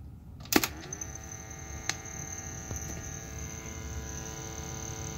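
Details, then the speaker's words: 1971 Philips model 1530 cassette recorder playing an old cassette: the mechanism clicks and the tape moves, but there is only a faint steady hum and no music. "it's moving there's just no sound at all maybe flip this around [Music] well clearly getting no sound"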